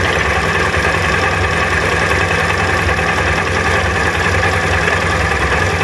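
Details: SMC 250 at idle with a fine metallic rattle over the exhaust note; owner suspects a rattling chain.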